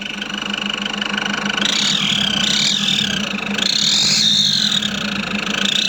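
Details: Nissan Patrol Y61 3.0L diesel at idle: thin, high whistle wavering in pitch over a steady idle hum, an engine whistle whose source the owner can't locate, recorded before searching for it.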